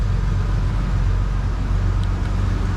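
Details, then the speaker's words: 1990s Ford Explorer after capping a massive vacuum leak that had caused no-start without starting fluid and black smoke: starts with slight hesitation, then a deep, steady, smooth idle with no misses and no black smoke. "Ta-da! And she runs smooth, and it does not billow out black smoke from the exhaust pipe."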